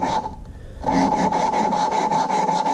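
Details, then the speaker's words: Subaru STI cylinder head rebuild: hand-lapping a valve with watery, sandy lapping compound on a seat not yet bedded in gives gritty, rough rasping strokes, about four a second, which get quieter as the seat laps in. "you hear how it's grinding like it sounds very rough you pretty much want to keep doing this and keep moving it"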